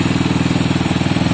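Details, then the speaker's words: Honda CB200 twin on first start-up attempt, lots of two-stroke oil put down the bores so some smoke: crisp, even idle pulses at a steady quick pace, no ticking or knocking; healthy-sounding normal idle. "I think it sounds healthy. I'm not worried about the smoke yet because I did put a lot of two-stroke down the bore."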